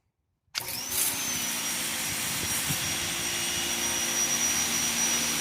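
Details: New Ryobi 2000 psi electric pressure washer with jet nozzle fitted: sudden start, then steady high spray hiss over an even motor whine, no surging or pulsing; running normally.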